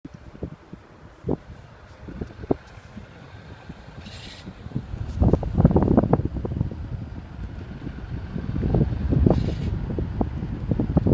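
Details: 2013 BMW 328i F30: a low fluttering rumble swells from the exhaust every time the throttle is released; dealership replaced the exhaust twice without curing it, cause unknown.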